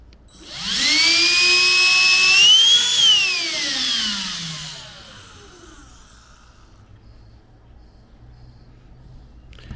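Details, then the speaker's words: Black & Decker cordless lithium Dustbuster handheld vacuum, run without its filter and clogged with hair, heard after the hair was cleared. A shrill motor whine spins up and coasts down. It is still loud; the owner is thinking of oiling a bearing. "Still pretty freaking loud. Thinking about oiling that bearing right there."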